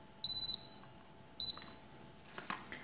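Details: Mitsubishi Electric air conditioner indoor board with an intermittent shut-off fault, running about an hour with the fan unplugged so it flashes an error: two crisp high beeps as it answers the remote; the control board responds normally.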